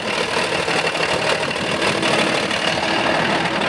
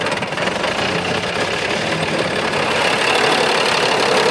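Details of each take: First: Big Bud tractor diesel running again after a junk spare injection pump replaced the leaking one: steady, even running that rises slightly when revved, with no knocks. Air is still in the system, and the throttle adjustment is not yet set. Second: Big Bud tractor diesel running after replacing the leaking injection pump with a junk spare pump. Loud and a bit uneven, not yet settled, as trapped air bleeds from the fuel system.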